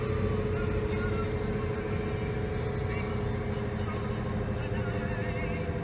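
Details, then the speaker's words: Geo Prizm driving at about 60 mph after 35 minutes: steady droning hum over road noise from a worn wheel bearing. "You hear that wheel bearing though."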